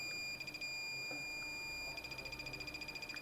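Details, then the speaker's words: Multimeter continuity test on a faulty mobile phone motherboard: short, uneven bursts of high beeps as the probe touches neighbouring components, giving false readings rather than a true value. "यह beep कर रहा है। यह समानांतर क्रम में जुड़ा हुआ है।"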